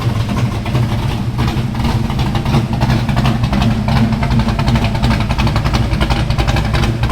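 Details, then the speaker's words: Small-block V8, about 12:1 compression, running an ethanol and race fuel mix, hot, idling around 1100–1120 rpm: deep, loping idle with an even chop about three beats a second, no knocks or ticks; normal lumpy high-compression idle. "you know that's a nasty sounding small block it [Applause] is little motor's pretty hot uh it's about 12 to1 compression and I have to run a mixture of 939 ethanol plus race field but um they don't like to idle below 1100"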